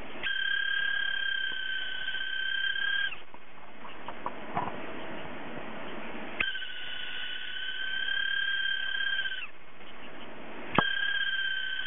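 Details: Hard drive with a faulty spindle motor bearing that won't spin properly; thin steady high meow-like whistle cutting out and returning in spells over quiet hum, drive squeal.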